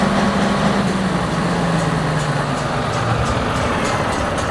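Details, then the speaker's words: 600 kVA electronic diesel generator engine with hard starting, after replacing a blown fuse on the ECM supply: catches and settles into steady even rumble; normal start. "as you can see we found out the problem the fuse is busted"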